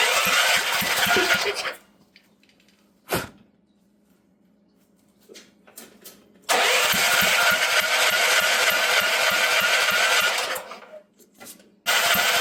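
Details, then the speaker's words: Previously seized auction generator with a water-filled fuel tank, fuel dripped down the intake: two long bursts of rapid electric cranking with a short spell of ragged firing in the first, then silence. Barely catches and dies; cranking with brief firing. "Well, it actually did run for a second there."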